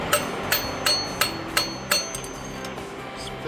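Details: Hydraulic lifter bench-tested out of an engine with valvetrain noise, tapped with a ball-tipped rod on top: six sharp taps about a third of a second apart, each dying away quickly; the lifter absorbs the blow, healthy.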